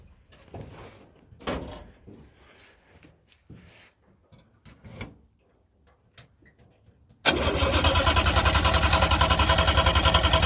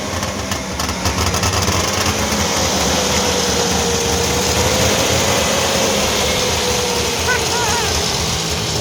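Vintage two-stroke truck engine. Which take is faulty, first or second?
first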